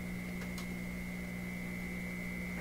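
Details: Florida AM/FM/SW tube radio under troubleshooting for low output and distortion: a loud, steady low hum with a thin high whine swamps the output. A poor ground at the hooked-up connections is suspected, not confirmed.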